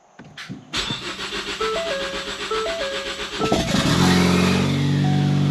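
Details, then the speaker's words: Ford Focus ST revived after sitting, first start with new Motorcraft plugs, original coils, no exhaust fitted: short crank then loud, raw open-pipe idle with uneven, lumpy beat; owner suspects unplugged vacuum hoses cause rough running. "A few vacuum hoses are still unplugged and stuff like that, so it's probably running a little weird, but it runs."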